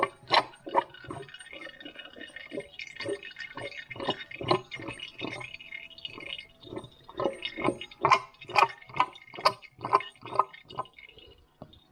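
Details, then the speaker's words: New old stock power steering pump being fitted to a Mk3 Ford Cortina, pulley turned by hand with no fluid in it: wet squelching pulses a little over two a second, showing the pump is working. "so actually pumping it out now as I turn the wheel the uh Drive cob the the pulley rather some hand empty it proving that the pump at least is having a go working"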